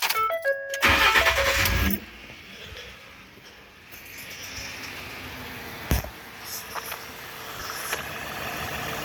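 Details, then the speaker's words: 2012 Ford F-150 3.7 L V6 Ti-VCT, 2WD, idling with serpentine belt removed so no pulleys turn: after a door chime, soft even idle with no whine or chatter; much quieter, proving the noise came from the loose, sloppy water pump. "It's a whole lot quieter now, ain't it? What it should sound like."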